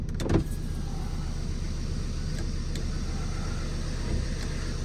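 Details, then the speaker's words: New project's diesel, after a boost-pack jump on a weak battery, starts and settles into a steady, even idle with no misses or stumbles; running a lot better, normal running. "so there we go she's running a lot lot better"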